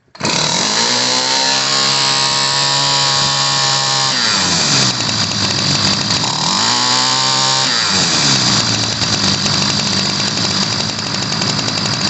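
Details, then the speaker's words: 1990s Ryobi 725r gas string trimmer, after new fuel lines and filters: the high, buzzing two-stroke sags and bogs twice before recovering, an uneven, blubbery running-rich note, before the carburetor's high-speed screw is adjusted. "but it's running rich so we're going to be adjusting the carburetor"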